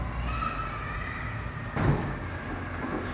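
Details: Ford EcoSport 1.6 with a loud right-side front suspension clunk when steering, persisting after the control arm and other parts were replaced. A single sharp clunk sounds as the lifted car is rocked. No play was found in checks, so the steering knuckle is being removed.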